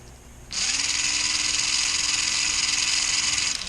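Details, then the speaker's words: 1994 Lionel RS3 Happy Holidays (6-18837) motor right after oiling where the axle shafts rotate, before adding grease: small motor spins up to a steady, even whine with no grinding or catching, then coasts down; sounds a little smoother. "Yeah, sounds a little smoother."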